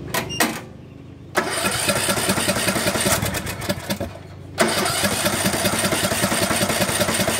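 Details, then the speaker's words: Craftsman LT1500 17.5 hp riding mower just after carburetor cleaning and fuel tank flush: engine catches, runs rough and uneven, sags and nearly dies, then picks up. It acts fuel-starved, and the fuel shutoff was found turned off. "What happened? It acted like it ran out of gas, didn't it? Yeah."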